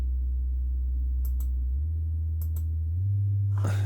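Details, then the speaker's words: Celestion Ditton 33 woofer, out of its enclosure, after crossover recap and plug delete, exercised with test tones from 12 Hz upward: a clean low tone stepping up in pitch with no rasp or scrape; no coil rub, so normal. "so I'm just exercising this woofer a bit so I'm running a 12 hert tone through that obviously we're not going to hear that it's not in an enclosure or anything"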